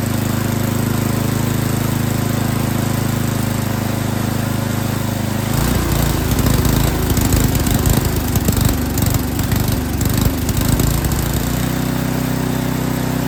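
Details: Yard King snowblower that would not start, small engine at full throttle with choke on, drones then goes ragged and surging with uneven pulses before settling smoother while the high and low carburetor mixture screws are tuned; carburetor was not tuned correctly.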